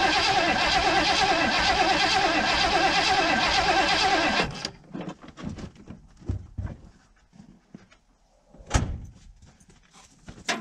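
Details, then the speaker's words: 1980 Ford Bronco, first start attempt after 18 months stored, seafoam added: starter cranks steadily about four seconds without catching; owner suspects fuel isn't being pumped up to the carburetor bowls. "thing almost acts like it's not getting gas pumped up"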